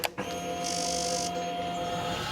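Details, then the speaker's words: Motorcycle at key-on after pressing the kill switch, before starting: steady low electric buzz for about two seconds then cuts off; normal fuel pump priming, building fuel pressure so the engine starts easily. "यह आवाज है आपके fuel pumps की जो तैयार हो रहे हैं आपकी राइड के लिए। जब गाड़ी बंद होती है तब इसके सिलेंडर में जरा सा भी फ्यूल नहीं होता है।"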